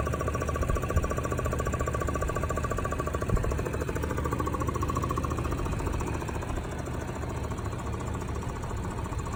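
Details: Car engine after a chain guide job: a heavy, rapid thumping knock rides over the idle, cause not clear.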